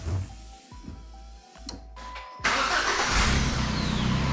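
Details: 2012 Chevy Cruze with the engine just installed, cranked in a closed garage: the starter turns it in short, slowish bursts that speed up slightly but never catch and sound bad; plugs and coil pack are not yet fitted.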